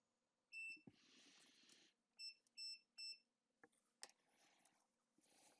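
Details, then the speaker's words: iPhone 6S with no backlight, after new components were soldered near the screen connector: four crisp high-pitched beeps from a multimeter in beep (continuity) mode. The reading on the display connector is back to normal. "j'étais en mode bip donc j'ai 400 g ma valeur qui est revenue"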